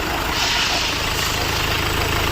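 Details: Renault Duster engine at steady, even idle after its radiator, found blocked and causing overheating, was removed, cleaned out and refitted; smooth low beat with constant fan rush on top, nothing irregular.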